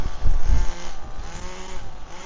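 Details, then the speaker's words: HPI Firestorm nitro RC truck, after fixing stalling by replacing a missing spur gear spacer: small nitro engine runs with a fairly steady buzz, still slightly uneven and needing tuning, sharper once warmed up. "still needs tuning but uh it's going in the right direction"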